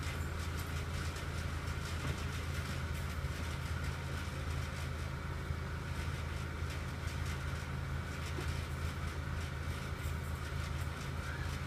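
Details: 2006 Acura RSX (Base) idling steadily with a fast, buzzy rattle running over the low engine hum; the cause of the rattling noise is unknown.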